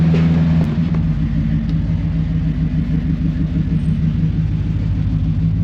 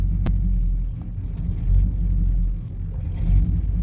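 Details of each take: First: 1991 GMC Suburban R1500, 5.7L (350) TBI, test drive at light cruise after a new IAC valve and relearn for near-stalling at stoplights; smooth, steady rumble with no surging or stumble; IAC reads 46 counts, under 50 and acceptable while cruising. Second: 1991 GMC Suburban R1500 5.7 TBI V8 idling in drive: deep rumble sags below 500 rpm toward stall then catches as computer opens IAC; idle air control valve suspected slow and sluggish, to be tested and replaced.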